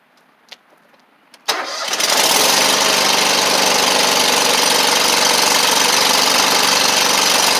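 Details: Toro Z Master mower with Kohler Command CH740S twin, previously down on power running on one cylinder, after fitting 12 V ignition coil retrofit kit; quiet clicks, then catches at once, strong steady even run with no misfire; fixed.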